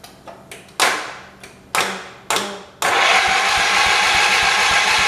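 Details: 1978 Shifting Gears 208 tractor after head gasket replacement, choked with gas in tank: starter bumps then steady cranking with even compression pulses but never fires; owner suspects no fuel or a plugged carburetor jet.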